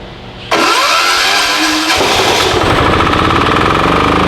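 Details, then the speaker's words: Formerly non-running Titan 7500 W diesel generator revived after cleaning, started on a weak jumper box using compression release: catches abruptly and settles into a loud, steady single-cylinder chug holding speed; normal running. "man that sounded good try it again set her to run that's violent"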